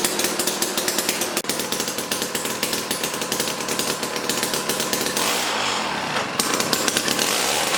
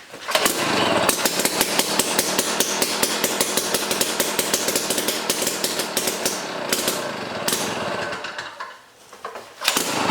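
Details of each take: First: Jiffy Stealth STX 10-inch ice auger, 3 hp Tecumseh two-stroke, after fresh 91 non-ethanol fuel, started on choke: loud high-pitched buzz holding steady revs with crisp even firing; running good. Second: Jiffy Stealth STX 10-inch ice auger, 3 hp Tecumseh two-stroke, on old gas of unknown age, full choke: harsh uneven sputtering crackle dipping out at the end, very smoky; rough running.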